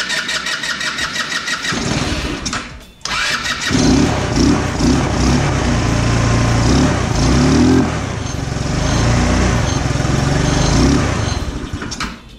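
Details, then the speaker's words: 150cc GY6 scooter that starts but won't idle despite idle-screw adjustment: cranks and catches, then runs uneven and lumpy without settling. "it's a 150cc scooter it starts but doesn't want to idle even after adjusting the idle idle screw"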